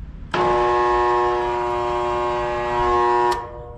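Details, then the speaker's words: Residential single-phase AC condenser with the contactor pushed in by hand: a loud steady hum for three seconds and no spin-up, as the compressor and condenser fan stall with no pressure change, caused by a failed dual run capacitor. "all right so all we got is a buzzing sound this contactor actually feeds both the fan and the compressor this is a dual capacitor we only got a humming sound nothing happened with our pressure gauges"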